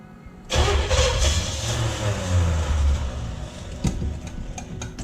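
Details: Junkyard Oldsmobile 350 V8, sat for years, being started on an engine stand for a 1969 Cutlass: loud, uneven low churning about three pulses a second that never catches. Cranks, no start, no fire; cause unconfirmed.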